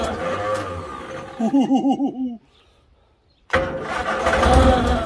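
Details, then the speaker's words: Morris Traveller not run in 44 years, fire damage under the bonnet, after new leads and distributor cap: uneven cranking bursts, then it catches and runs roughly only on spray cleaner in the inlet; fuel delivery suspected, not confirmed. "so I managed to get the fire off I thought it would be hand over the inlet a bit of rear cleaner which are fired and to run"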